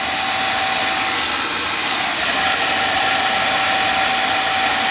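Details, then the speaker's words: Oil burner after new 275-gallon tank install, motor run with bleeder open and no spark purely to prime the pump: steady even hum, constant mid-pitched tone, no surging or sputter; pump runs smoothly, delayed oil valve prevents oil entering. "Basically, I'm just running the motor. So there's no oil being pumped in anywhere. I got this open a couple of good turns. Um there's no spark happening. Ain't going to This is just strictly for priming the pump."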